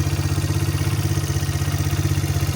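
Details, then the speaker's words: 1985 Honda XR100 single-cylinder, warm after about 10 minutes idling, mixture screw 2.5 turns out: even steady thump, no ticking, slap or stumble, no air leaks or hanging idle; clean healthy idle. "I'm not getting any indication of any air leaks. No hanging idle. It's not taking off on me or anything."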